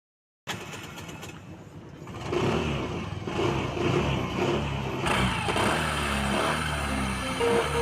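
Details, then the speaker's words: BS6 Suzuki Access 125 scooter on the self-starter: a gritty rasp from the clutch side under the starter whirr before the engine catches; starter bendix grinding, to be fixed by opening the clutch cover. "Hello दोस्तों क्या आपके भी scooty में self मारते time clutch में से noise आता है जैसे कि मैंने आपको स्टार्टिंग में दिखाया इसका जो क्लच में है बहुत सारा नॉइस आ रहा है"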